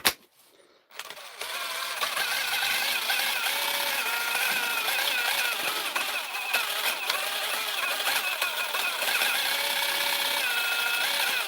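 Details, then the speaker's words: DeWalt impact driver before repair: high, harsh chattering rattle at roughly three per second over the motor whir; not how it should sound, fault said to be not serious and to sound worse than it is. "That's not how it's supposed to sound. So, we're going to get it open. It's not a serious complaint that's wrong with this. It's um this impact driver is like my guitar playing. It sounds worse than it is."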